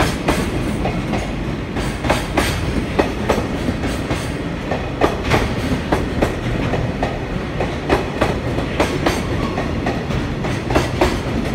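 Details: EF65-2063 locomotive hauling freight train 4073 departs Oyama station, 22 March 2021. The wagons roll past with uneven clickety-clack and repeated sharp thumps, many of them the pounding of wheel flat spots.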